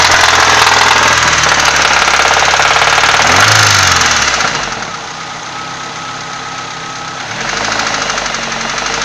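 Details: Nissan SR20DE engine idling with regular light knock about three to four per second following revs; camshafts and bearing caps look intact, no visible cracks, source not identified.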